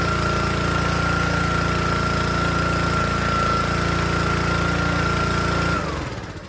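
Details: Troy-Bilt log splitter small engine: steady chug at about 214 beats a minute runs fine unloaded, then pitch sags and it tries to die as soon as hydraulic load is applied; engine bogs under load.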